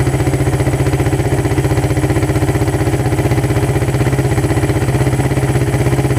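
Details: Suzuki Satria FU with a PWL/PE28 28 mm carburettor, just cleaned and re-jetted (main and pilot jets changed) to cure hesitation when throttled; starts on first press, steady single-cylinder putter about four beats a second, no misses or hunting; normal idle.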